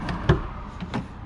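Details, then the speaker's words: Jeep with larger tires and Rough Country spare tire relocation bracket, after a $5 PVC pipe and cap bump-stop mod: tailgate shuts with a single firm deep thud, no rattle or shake; much more solid. "A lot more solid. And for reference, I'm running the Rough Country relocation bracket."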